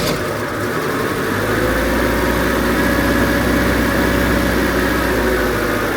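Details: Classic Renault R16 after a bottom-end repair for low oil pressure and knocking, with the oil pump now primed: steady, even idle, low smooth rumble, no puffing or ticking; healthy.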